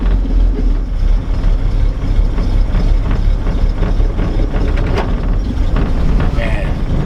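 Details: 1949 Chevy 3100 with 216 Babbitt six on a 6-volt battery, just started on a cold January night, choke pushed partly in, oil pressure good at about 30. Soft, even, low purr with no knocks or misses: normal idle.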